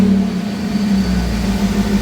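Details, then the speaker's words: Jeep TJ on newly installed ACES Jackpot EFI replacing MicroSquirt: even, steady idle drone with constant low tone, no shake or stumble; smooth where it used to shake when the throttle was hit. "doesn't like before you hit it and it all shakes now it's really smooth so I think it'll be better"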